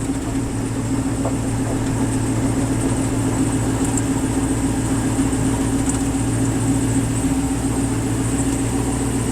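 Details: 1969 Chevy Nova with forged-piston 5.3 V8, Magnuson supercharger, 4L80, Holley Terminator X Max, driven back to the shop: steady V8 rumble with a thin, constant high whine; normal supercharger whine.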